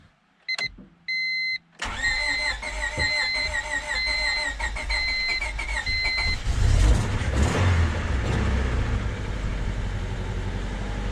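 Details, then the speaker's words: 1998 Honda Civic sedan with a swapped engine that had sat about a year, first start attempt: a few chimes, then uneven cranking catching right away into a rough, rising engine note as it fires and runs. "There it is. She's alive. Look at that."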